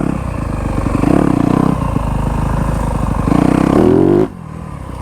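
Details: Brand-new Yamaha YZ250F, backfires often (rider unsure if map rich or lean), landing a jump: engine revs then bogs hard and cuts out dead mid-rev; ran out of gas.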